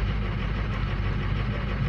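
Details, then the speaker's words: 2006 Ford Lariat diesel truck, 146,000 miles, after cold start with injector balance compensation switched off: low heavy idle turns lumpy as cylinders 2 and 4 drop out; failing injectors suspected, fuel pressure still to check. "shut off the compensation that's a button over here there you go number two and number four just turned to crap"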